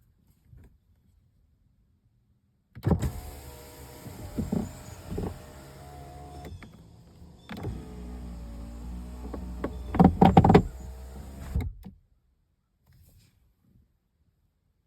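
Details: Loose object knocking inside driver-side door of a 2016 Ford Fusion as the power window motor runs; irregular knocks and clunks, loudest raising the window, which sometimes sticks or catches on the object. Cause suspected, not confirmed.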